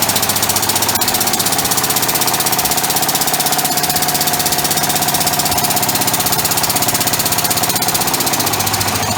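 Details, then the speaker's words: Experimental 3-cylinder orbital compressed-air engine with single-shaft push-pull valve, only one cylinder connected: fast clattering about four loud beats a second, slightly uneven and sloppy; running on one cylinder. "anyway it's a little bit sloppy because it's only got one cylinder on but it does run even with one cylinder so I'll show you that"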